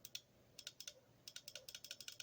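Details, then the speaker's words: Bench test of a rebuilt Rabbit transmission valve body. Bright clicks come in quick bursts. This solenoid still actuates, but its coil resistance measured out of range, so it will be swapped for an old in-spec one. "Still clicks, but I already know that that one's out of range, so we're still gonna swap it for the one and the old one, because I believe those are, I measured them and they were within the readings."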